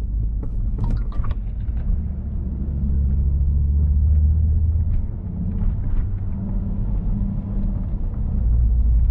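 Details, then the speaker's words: Volvo P2-platform car (V70/S60/S80/XC70/XC90) driving after the brake servo/booster seal was replaced: low steady engine and road rumble with no more snake-like hiss near the brake pedal when braking. "Yeah, since you did the servo guys it's not been hissing You don't even hear it anymore since you've done it"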